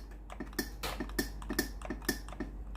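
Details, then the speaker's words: Philips GC9231 steam iron, fully warmed with ready light steady: pressing steam gives quiet sharp water-valve clicks a few per second but no steam hiss at all; boiler thermal fuse likely blown, fuse later replaced. "นี้ได้ยินเสียงเสียงวาล์วน้ำทำงานนะครับแต่ไอน้ำไม่ออกเลยนะครับ"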